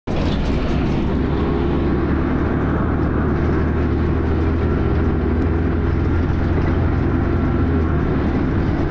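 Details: First Manchester Dennis Arrow bus 31943 (R443ULE) on the move, recorded April 2011: heavy, constant low rumble with a loud, rough grinding roar throughout; the source of the grinding is not identified.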